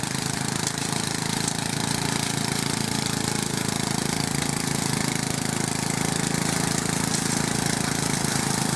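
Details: Westwood garden tractor, Briggs and Stratton single, after fault fixed, pushing through a willow in the orchard: steady even beat about three a second holding firm under hard load; healthy engine.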